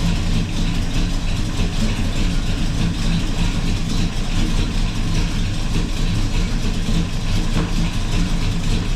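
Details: 454 Gen 6 7.4L big-block swapped into a 1984 Chevy truck, first start with radiator cap off after fuel line leak fix; deep steady idle burble, even firing, no knocks or ticks; normal idle.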